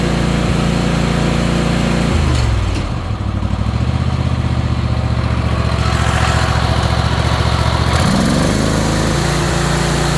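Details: Ariens Apex mower with Kohler 7000 series twin, 238–239 hours, oil checked, owner reportedly changed spark plugs and fuel filter: uneven lopsided chugging dipping and recovering; one cylinder not firing.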